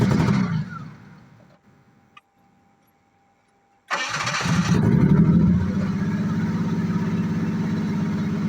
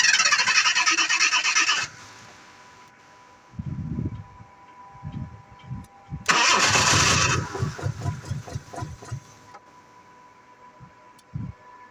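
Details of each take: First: 1986 Jaguar XJ6, unstarted for two years, after fuel pump change and refitting parts: cranking, a pause, then engine fires and settles into steady even idle with no misses or knocks. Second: 1986 Jaguar XJ6 that sat unstarted for two years: three bursts of cranking, each followed by a few weak thumps, then quiet. The engine fires briefly and dies, a hard start that won't keep running.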